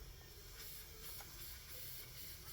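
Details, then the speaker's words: Harley FL Panhead intake manifold leak test at about 10 psi through a regulator: soft, steady airy hiss of air escaping past the block-off test plate, not the manifold bands being checked. "I'm going to put about 10 lounds of pressure on that intake cylinders uh and I do have a leak on the actual plate right"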